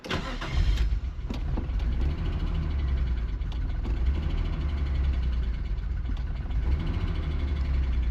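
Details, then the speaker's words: Nissan R34 Skyline, 149,000 km, parked in the weather 10 years, first start on its own with pod filter and AFM connected: it catches into an uneven, lumpy, wavering idle, running rough as if missing on a cylinder. "How nice is that? 149,000 KS. Runs like an absolute dog."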